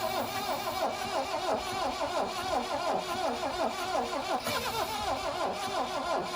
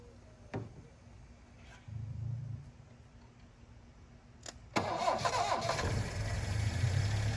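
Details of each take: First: 1972 Plymouth Cricket (Hillman Avenger) sitting since 1989, 64,000 or 164,000 miles, starting spray in intake, battery sat 6 months: slow labouring crank about 3 turns/s, tries to fire; weak battery suspected, compression enough to fire. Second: 1972 Plymouth Cricket (Hillman Avenger), sitting since 1989, first start with choke on: starter churns, coughs, then settles into rough but steady choked idle; carburetor obviously plugged, needs new spark plugs and carb cleaning.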